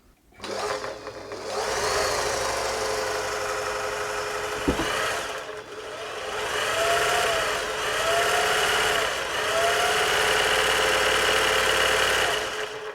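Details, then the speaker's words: Singer 631G/611G sewing machine after full service and foot controller repair: fast, even mechanical whir with light steady clatter, speed holding smooth, much quieter than before service; normal running. "Sounding a lot better there now. It's quite a fast machine actually."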